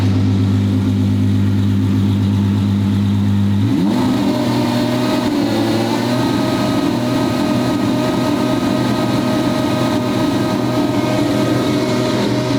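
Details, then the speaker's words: Twin-turbo V12 Ferrari on first shakedown, no load or boost yet, dump pipes not opened: lumpy idle then revs climb and hold with a smooth rising rush, turbos spooling cleanly, no abnormal noises; healthy turbo spool. "oh it sounds so good with the spool"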